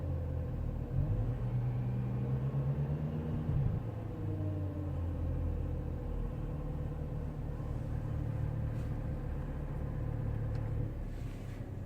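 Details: BMW E92 335i: a loud low buzzing rattle from the air conditioning system over the engine that follows engine revs, rising with a brief rev and then settling back.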